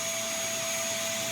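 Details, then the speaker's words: New FLSun T1 3D printer failing its self-test, with bed and nozzle not heating and axes not moving: a loud, steady fan roar with a fixed high whine that never eases; cooling fan running constantly at full speed while the printer sits idle. "This fan switches on the moment you turn the machine on and does not stop. And that can't be right. There's no way a machine sitting idly is going to run a fan like that."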